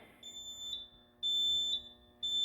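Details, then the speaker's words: Early alert smoke alarm set off with smoke in room: high piercing tone in steady one-second bursts; alarm working normally. "working as it should. You can hear the beeping has been activated."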